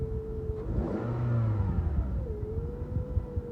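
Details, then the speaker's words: Engine started after an owner-reported bearing noise plus a battery light and dying, with the alternator suspected; it cranked weakly but runs smooth, revving evenly with no knocking or bearing growl and no charge light. "sounded weak but it cranked and Ren I don't hear anything loud it sounds real smooth"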